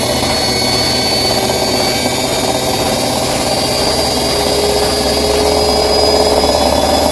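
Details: Bosch Maxx 6 washing machine at high spin: loud steady roar with whirring and rattle. Motor bearings already replaced and drum bearings still good, yet the drum stays very noisy at high speed; owner concludes the drum is broken, which is unconfirmed.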